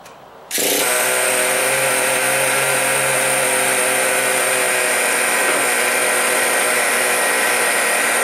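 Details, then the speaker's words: Traxxas Sport Maxx upgraded to T-Maxx with 2.5 nitro engine, sat four to five years; owner suspects fuel starvation from a blown vent line, now fixed: fires after half a second into a steady high-pitched buzz; running cleanly. "I don't think it was getting fuel and not enough pressure to push fuel through but now it seems to be working"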